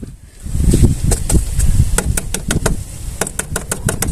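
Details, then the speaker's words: Nissan Almera G15 (J15 body), rear suspension rocked by hand: sharp hollow knocks in quick uneven bursts; owner suspects rear struts/shocks or mounts, or a popped-out clip and brake line tapping the rear beam, unconfirmed. "так Nissan Almera в кузове J 15 з проблема стучат задние как говорят стойки вот амортизаторы"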